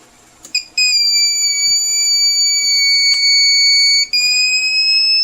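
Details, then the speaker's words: TBE 2000 W power inverter with no output: a continuous shrill buzzer with one brief break at power-up. The protection or alarm trips and no output waveform appears. "Pagka nakarinig kayo ng ganyan minsan hindi tutun ay hindi magkakaroon ng wave form doon. Hindi lalabas kasi nga magti-trigger yung protect o kaya yung alarm."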